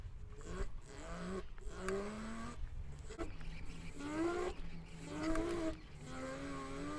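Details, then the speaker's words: GoTrax GXL V2 electric scooter after 3 years of use, microphone clipped near the motor: hub motor growls and grinds with a rising whine only under load at low speed pulling away, not when rolling freely. "You can hear that grinding sound. It only happens at low speeds, and it's when you're going slow, that initial, just the motor to get the wheel moving just sounds like"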